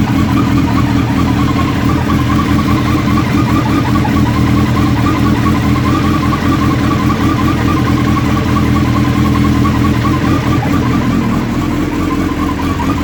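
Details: Suzuki Hayabusa at steady idle, recorded from completely cold but same at any temperature: continuous constant whirring tone over the engine note, cause unknown.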